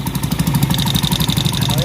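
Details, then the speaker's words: Honda TMX155 single-cylinder idle: fast even metallic rattle from timing chain, noise stops when tensioner pressed; weak tensioner spring, fixed by adding a washer behind the spring. "Yan mga lods o, yung ingay o. Okay. Ano yung timinger kasi yan, nakaroon sa timinger."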